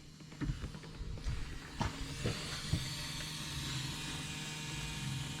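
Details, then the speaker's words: 1974 Ford Country Squire wagon, warm idle: a steady airy hiss under the engine with no change in tone; brake booster judged junk and leaking, needing replacement. "boosters junk boys so we're gonna buy a booster i guess we need a booster now"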